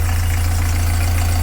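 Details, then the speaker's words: Narrowboat diesel engine after new engine mount, alignment and gearbox swap, at tickover, leaned on: steady even deep thrum with no knocks, where it knocked before; normal idle. "give it a clean down and then there we go no more knocking going to lean on it and that that was knocking before"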